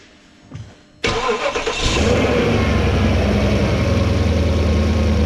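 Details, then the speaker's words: 2008 Porsche Cayenne Turbo V8 just after a DIY oil change: the starter whirs about a second, then the engine catches and settles into a deep, steady, even idle with no knocks or misses. "We're gonna go ahead and fire it up. You guys can hear this beautiful monster."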